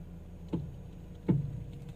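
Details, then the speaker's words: SUV built in 2016 with about 26,000 km: two dull clunks with a creak from the front right when the steering is turned slowly to the right. The cause was a rusted, collapsed front strut top mount and bearing; replacing them cured the noise. "就是换一个这个顶胶，它这个轴承太旷了，然后就会导致异响。"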